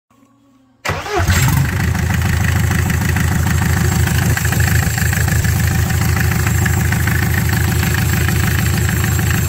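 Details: Mercedes-Benz Sprinter 308D, first start after a full service: cranks briefly, catches at once and settles into an even, steady diesel idle with no knocks. A healthy engine.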